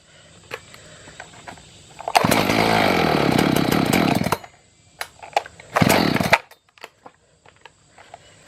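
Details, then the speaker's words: Echo CS-590 chainsaw on premix, carburetor adjusted and fuel turned up: fires, screams briefly at wide-open throttle, then dies twice and won't keep running; suspected bad carburetor, fuel problem. "giving a wide open throttle. I think we may have a bad carburetor."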